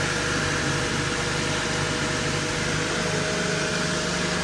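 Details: 1999 Honda Civic, manual, just after fuel filter replacement and before a test drive: steady, even idle with a smooth low hum, no knocks or misses. Healthy engine.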